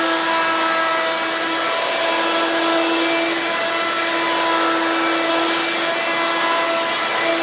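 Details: Hoover Quik Broom II S2141 stick vacuum damaged in shipping; harsh, very loud steady whine with a rough edge at constant speed, louder than an S2095; owner unsure if the shipping hit unbalanced the motor or broke the fan.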